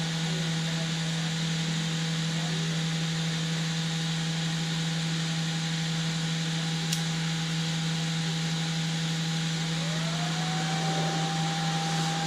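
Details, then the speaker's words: Creality CR-X/CR10S Pro printer after the bed-heater SSR failed stuck on. During a bed heat test climbing past 64–67°C toward an 80°C target, the power supply fan hums steadily and very loudly under the heated-bed load, then rises in tone as it spins up. "you go you can hear the power supply fan very loud way louder than this"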